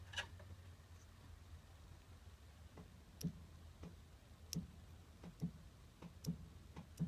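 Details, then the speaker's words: 1978 GMC Diplomat motorhome dual-tank fuel selector: sharp isolated clicks about once a second as a loose wire arcs on and off, making the selector valve cut out and falsely switch tanks. "you can see it arcing now listen underneath here I don't know if you can hear that or not the fuel selector uh valve is pretty much directly under that screwdriver so I guess with this not making a solid connection it was causing that to cut out"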